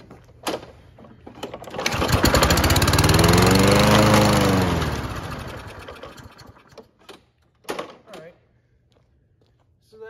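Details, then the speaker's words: Toro Recycler self-propelled mower, Kohler engine with heat-actuated automatic choke, sat a few months: catches, revs up, then dies within seconds running only on spray; likely dirty carburetor with old fuel. "mean carbs probably a little dirty old fuel in there"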